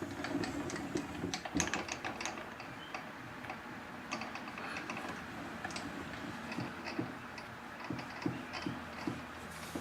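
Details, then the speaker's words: Lathe cross slide making an unfamiliar noise, felt in the handwheel: quiet, irregular light ticking and clicking as the slide works; the cause is a loose cross slide lead screw nut. "what the heck is that noise i don't believe i've ever heard that noise come out of this lathe before nothing feels loose huh"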